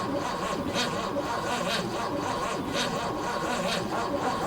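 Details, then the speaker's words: 1957 Oldsmobile 88, not run since 1987, with new plugs, leads, coil and battery, cranked to hear it turn over: even, unhurried cranking at about one beat every two seconds, turning freely with no binding or clunks. Power at the coil was weak afterward. "to see what the engine sounds like as it turns over"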